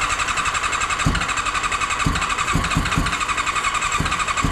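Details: Long-abandoned barn-find Honda CBR400RR NC29 with electrical issues catches on starting spray and runs raggedly for a few seconds with uneven pops, then dies; likely fuel not reaching the engine.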